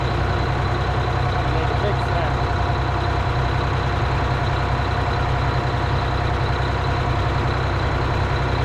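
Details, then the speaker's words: 1977 Eagle bus with a 6V92 diesel, first start in 10 years: deep steady idle with rough, irregular puffing chuff and a little smoke; suspected exhaust leaks, not confirmed. "Sounds like we got a few exhaust leaks. Little bit of smoke."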